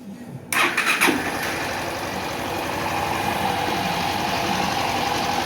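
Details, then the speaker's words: Honda Start 160 motorcycle after repair of a noise that seemed like a rod knock but wasn't: quick start and steady, even idle with light valve tick typical of its rocker arms; normal. "Ficou show de bola aí."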